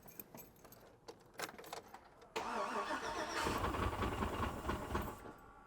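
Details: Rollover Chevrolet Suburban after rain got in the intake and water was shooting out: rattling crank catches into a rough, uneven run with irregular stumbles; hydrolocked engine likely toast, possible bent rod.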